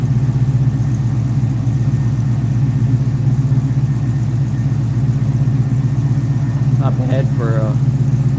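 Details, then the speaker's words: Firebird with a stock LS3 V8 and two-chamber Hooker mufflers on a cold start: deep, steady burble with even pulses and no misses, knocks or ticking. Normal cold idle. "Doesn't sound bad for a stock LS3, right? Hooker mufflers is what's on here. Two chamber hooker."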